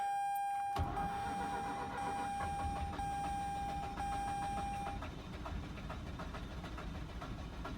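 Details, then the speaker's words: 2006 Mazda RX-8 that shut off while parking, day two on a fully charged battery with charger connected: starter churns evenly for several seconds but never catches; owner suspects low spark, possibly apex seals, notes he skipped premix. "Seems like it wants to start. Like it's about there. It just does not want to do that. I'm almost thinking that maybe it's a low spark."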